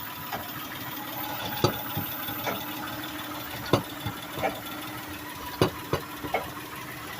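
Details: Toyota Sienna van (ex-California, earlier catalytic converter issue) at quiet idle: sharp irregular clunks about every two seconds, not tied to engine speed, persisting after both sway bar links were replaced; owner suspects the exhaust pipe to the rear muffler hitting the frame.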